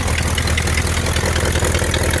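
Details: 1960 Ford Thunderbird V8, possibly 41,000 original miles: deep, even burble at idle with a steady rhythm and no knocks or ticks; engine sounds healthy.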